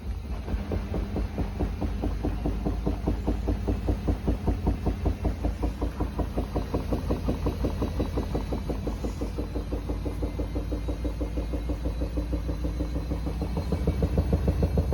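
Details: Samsung washing machine on its final spin: fast rhythmic thumping under a low drum rumble, irregular at times, which is abnormal knocking during the spin cycle.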